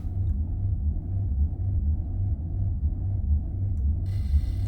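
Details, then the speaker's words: 2005 Maserati Quattroporte, 4.2 litre V8 Ferrari engine: deep uneven idle surging and dipping about once a second instead of settling, errors across the dash; rough hunting idle. "Right, this car's gone absolutely loopy, look. it's really not happy. No idea what's going on with it."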